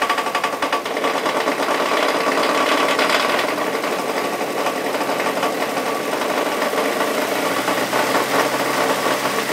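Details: Mazda Miata first start on fresh oil after 8 months sitting, briefly run at full throttle with an object left holding the throttle open: loud, rapid metallic knock clattering over the idle.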